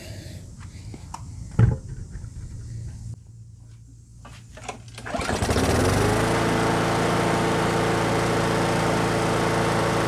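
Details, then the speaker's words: Brute mower with Briggs & Stratton Classic engine after fitting the missing governor spring and adjusting governor RPM spring tension: starts and settles to a steady, even drone with no surging; running great. "It was just missing this spring, and it needed an adjustment on the on this spring for the RPM, the actual governor speed. So yeah, this thing's running great actually."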